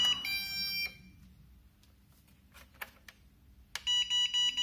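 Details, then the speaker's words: MJX Bugs 6 racing drone's built-in buzzer: a shrill high beep, then clicks, then a quick run of about five short beeps. "hear that beeping there are plenty of people that added a beeper as a modification for the b3 and is here out of the box"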